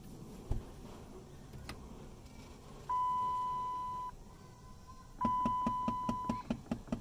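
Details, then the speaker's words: 2008 Dodge Avenger, key on with A/C switched on, engine need not run: steady electronic tone with evenly spaced light ticks about two per second behind the glove box, from the air recirculation/blend door actuator. "Now, if every time you turn your key on, you hear this ticking noise. I mean, the car doesn't even have to be on. It's when you turn the AC on. You're gonna hear a ticking noise."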